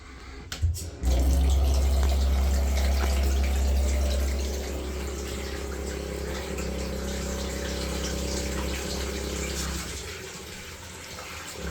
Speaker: The vibration stops every time I open the leaking tap. If you isolate the tap that you think is the problem and the issue stops, then it's more than likely the issue that you need to repair.